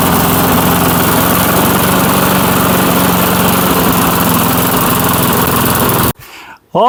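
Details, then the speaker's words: 1996 Murray 22-inch push mower, single-cylinder, revived after 10 years dormant, running in a cold Michigan shop: fast, smooth, even putter with no misses before cutting off; healthy. "Well, it it rattles up okay pretty good. Doesn't sound bad. We'll see if that snow clears out of it a little bit. She don't sound too bad."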